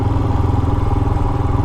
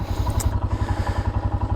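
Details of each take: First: Royal Enfield Himalayan single at light throttle while riding, after valve adjustment (exhaust clearance set toward the loose end of spec): steady thump with soft even mechanical clatter; normal valve train noise, noisier than stock but okay. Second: Royal Enfield Himalayan single-cylinder idling the day after a valve adjustment; steady beat about three pulses a second with light ticking over the exhaust. Owner says it sounds the same, possibly quieter, and attributes the extra valve train noise to the cams, as others report.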